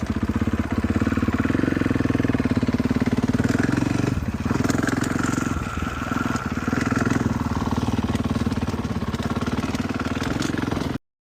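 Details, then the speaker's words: Cold 2014 Husqvarna FC 450 single-cylinder, unstarted for a week or two, ridden on first test ride: loose irregular slapping clatter from a slack drive chain; owner plans to tighten it before it comes off and damages the cases. "I can hear the chain slapping around a bit too much for my liking, so I might tighten the chain up before it comes off and wrecks the cases."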